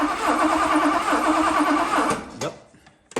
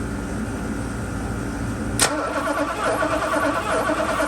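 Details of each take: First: 1982 Mercedes 380SL cranked by a manual remote button during ignition troubleshooting, after swapping back to the original black coil, which restored spark: the starter cranks evenly at about three turns a second for two seconds. Normal cranking. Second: 1982 Mercedes 380SL cranked with the ignition on during a spark test: the starter whirs steadily for about three seconds with no firing. Crank, no start; the owner suspects an ignition part is bad, and it got hot.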